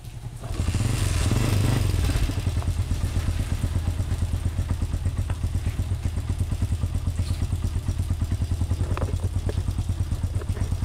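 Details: Honda TMX125 single-cylinder after new stator, CDI, valves, genuine pushrod and cylinder cleaning: fires up and settles into a steady, even low thump with no misses or pops; normal running.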